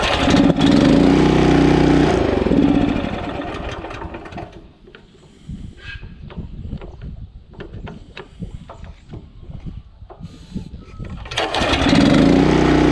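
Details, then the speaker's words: Honda GX340 petrol engine on an auger, reassembled; oil later found full and the sensor not the cause: fires and runs briefly, then winds down and dies within seconds, cutting off immediately as before; stalls after starting. "and that's what it was doing before just cuts off immediately"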